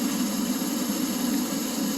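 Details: Oil furnace in garage, 31°F outside: steady motor, fan and pump hum but no burner roar; fires only with door shut; owner suspects a plugged nozzle.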